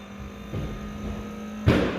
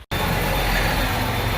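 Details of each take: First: Farm diesel tractor with newly changed fuel filters, key on: steady electric fuel pump hum with one clunk, but the water separator bowl stays empty; found to be sucking air through an open filter drain. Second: Farm diesel tractor after fixing an air leak through an open fuel filter drain and refilling the filter: it catches straight away and settles into a steady, even idle clatter with no stumbling; a healthy start.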